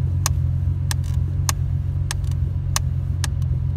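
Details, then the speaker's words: Nissan 350Z after installing an NRG quick-release steering wheel: sharp clicks roughly every half second over steady engine idle as the wheel turns, something catching in the column; cause unknown, possibly clock spring ribbon pulled during removal, later quieter. "goes right on clicks right in it's a little problem with it though it's clicking I don't know why I'll have to fix it"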